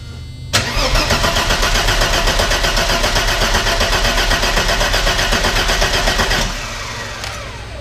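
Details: 1990 Mercedes-Benz 300E sedan, sat unused for years, fresh battery fitted: starter cranks steadily about four beats a second for six seconds without catching; spark is good, so fuel starvation is suspected, possibly the fuel pump.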